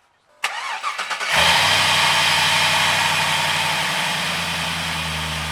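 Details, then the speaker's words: 1966 Chevy El Camino with LS V8 swap, after replacing the idle air control valve that caused hard cold starting: starter cranks about a second, fires cleanly, smooth even idle; normal start. "So I'll start it up now. Starts right up and idles."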